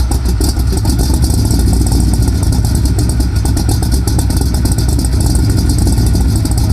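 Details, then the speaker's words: Chevy K5 Blazer squarebody V8 with headers, idling after a fan replacement: a heavy, lumpy, unsteady idle close to stalling. The owner plans to adjust the timing, but the cause is not confirmed. "I don't need a radio when you got that she gonna stall"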